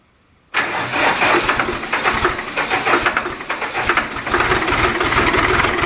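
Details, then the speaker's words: Diesel in single-digit cold after 150 W oil pan and 60 W battery heaters (oil about 50°), glow plugs used: cranks much easier, catches quickly and settles into a steady clattery idle; a healthy cold start. "well as you can see there cranks a lot easier for uh still being single digits out here you know yesterday versus today"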